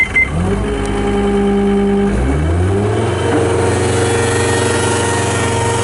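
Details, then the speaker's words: 2011 John Deere 333D rubber-track skid steer, high flow, two-speed, 95 hp diesel, 2,439 hours: it fires instantly, settles, then climbs smoothly to a higher steady speed with no misfire or stumble; starts excellent, healthy engine. "But it starts excellent. It does not miss. It does not carry on."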